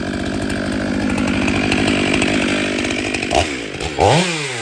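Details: Ported Stihl MS500i chainsaw cutting wood: strong, steady buzz through the cut, then clean revs as it clears; healthy engine pulling well, better than stock.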